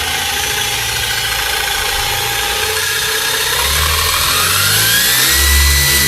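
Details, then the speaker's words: JJRC Q36 4WD RC truck on a box with wheels in the air at full throttle: steady high electric motor whir and gear whine rising smoothly as it spins up, even, no knocks; normal full-throttle run, zips along pretty good. "There's full throttle, so that zips along pretty good."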